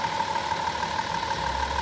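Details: Van engine with recently replaced spark plugs, wires and coil pack, which had caused a lost cylinder 5: smooth, even idle, steady hum, no stumble or missed beats; running cleanly on all cylinders.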